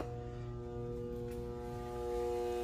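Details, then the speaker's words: InSinkErator garbage disposal with air switch, after pressing the red reset button: a steady electrical hum with no spinning, meaning the unit is jammed and then trips its reset button. "and I hear the humming noise when you hear the humming that means that the unit itself is jammed okay and then what happens is the button trips so the power goes off and then you have to reset it again"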